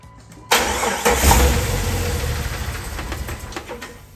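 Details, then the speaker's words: 1999 Jeep Wrangler TJ, 144,000 miles, automatic, running with drive belt removed: sharp start, one rev, then quiet even idle with no squeal or rattle, suggesting noise came from the alternator. "that was pretty quiet for what power it had so i do think it's that alternator"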